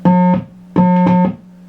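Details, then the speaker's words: Marshall Silver Jubilee 50W amplifier with low output, loud hum and no signal; effects return jack switch not shorting; steady test note cuts in and out in abrupt bursts as jack is waggled; faulty effects return jack. "we have found the problem it's this effects return jack it's faulty"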